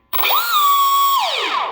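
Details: Carbon Aeronautics drone with GR1105 motor on a 2S 1300 mAh battery, given a little throttle right after ESC calibration: short spin-up to a steady high whine near 1 kHz, then a smooth wind-down. Clean, even motor run.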